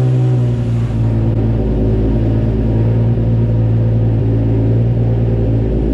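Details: Nissan A31 Cefiro started after reassembly following repair of a fuel leak, engine very cold: steady low rumble with even idle beat, no ticking or puffing from the manifold; normal cold idle, oil pressure good.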